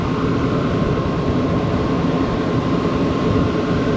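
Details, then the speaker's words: Kitchen exhaust fan after replacing its motor with a new 208/230V three-phase motor drawing 2.6 A, belt drive: a loud, even rush of air with a steady faint tone, no rattles or bearing growl; much better, like a new fan. "so much better it's like a new fan"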